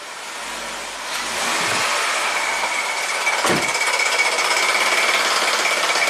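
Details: 2017 Jeep Rubicon with codes P0390/P0394, revved while the bank 2 exhaust cam phaser solenoid is powered: a fast, hard metallic rattle rides over the engine; the cam phaser rattles.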